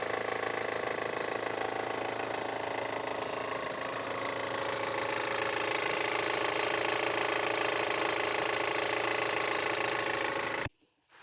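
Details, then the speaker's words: Great Wall Hover H5 with a Mitsubishi petrol engine, 109,000 km, about 4,000 km after a full timing belt kit replacement. Knocking at idle grows with revs and fades past 2,000 rpm, with steady ticking about three times a second. Cause: weak hydraulic timing belt tensioner. "сначала стучащий звук на холостых оборотах и при наборе сначала будет усиливаться"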